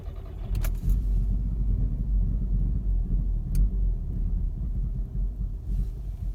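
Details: VW Mk6 GTI rough idle and stalling on restart after being driven to operating temperature then shut off 15–20 minutes; low, uneven idle rumble rising and sagging instead of holding steady; cause unknown to owner.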